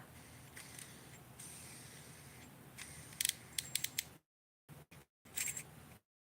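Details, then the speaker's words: AliExpress Dark Wolf Ultra Black Knight II baitcasting reel with small extra brake magnets added: a faint, steady scraping hiss as the spool turns, then dial clicks; the magnets rub the spool unless the brake dial is set below two. "so what happens it's already hitting let me turn that down so you hear that all the way down to so yeah all the way i have to go past two before it doesn't rub"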